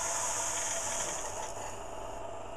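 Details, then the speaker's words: 1920s/30s Drummond Brothers 3½-inch flat-bed lathe, motor switched on. A steady motor hum with a faint high whine that eases as it settles; the lathe is running smoothly with good pickup. "that goes quite nicely um so it got quite a good pickup so I can you know it's have to wait for it to slow down"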